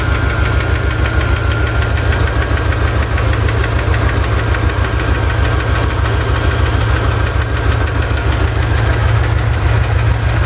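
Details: Chevy ZZ4 350 at steady idle: a regular knock or tick of about three per second, seemingly from the driver's side, persisting after a valve lash adjustment; owner unsure whether piston slap or a spun bearing.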